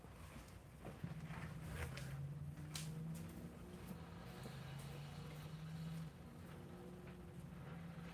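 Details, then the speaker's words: Engine with a small high-torque starter: fast crank catches with no throttle input after key-on and gauge sweep, then settles to a quiet, steady low idle; starts and runs cleanly. "It's got that little high torque starter and it spins it over real fast. So no throttle input, nothing. You just turn the key on, wait for the gauges to sweep, and then fire it up."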